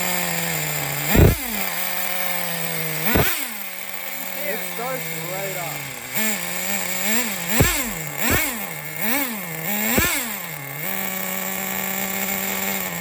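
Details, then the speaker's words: 2006 Traxxas Nitro 4-Tec 3.3 (Model 4809), rebuilt TRX 3.3 engine on first startups: sharp throttle blips, then a soft lazy idle that sits slightly low. Needs fine tuning. "So the idle's a little bit low. Just a little bit low on her."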